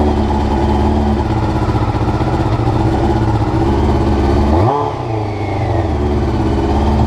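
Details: Honda CBR motorcycle, clip from before the float needles were changed: high, uneven idle with an irregular beat and a wavering dip mid-clip; rough idle, cause suspected, not confirmed.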